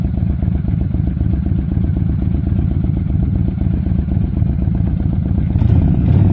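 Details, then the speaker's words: 2005 Honda VTX, stock exhaust with first baffle drilled, before Cobra slip-on and jet work, about 15-16°F cold day: steady dull clatter about four beats a second that never picks up into a clean idle; cold engine reluctant to start. "Well, that's embarrassing. A little cold today."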